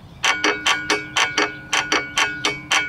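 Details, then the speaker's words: 2005 Chevrolet Trailblazer engine, torn down out of the vehicle after rod knock: connecting rods rocked by hand give sharp ringing metal clacks about four a second, every rod showing play from excessive rod bearing clearance. "the whole piston moving there look at that and every single one of these like this one right here this one you can hear that has play in it every single one has play in it"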